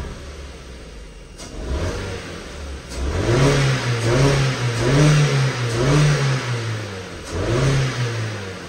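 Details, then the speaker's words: Flood-damaged salvage Ford Fiesta: engine rises cleanly through several quick blips and settles back each time without hesitation or stumble. Normal engine revving. "revs up really well"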